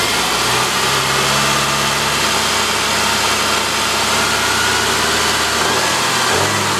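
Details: 2007 Saab 9-5 2.3L turbo 4-cylinder, automatic, FWD, about 124,000 miles, front-end damaged: steady, even idle, smooth unbroken drone with no knocks, ticks or misses; runs fine.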